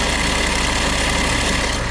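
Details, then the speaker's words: 2014 Ford Kuga at idle, bonnet open: fast metallic rattle from the front of the engine over a steady idle, traced to a failed alternator clutch pulley. "it has got a little bit of a rattly metallicy noise coming from the engine area and I've had a little listen and it is coming from this area here"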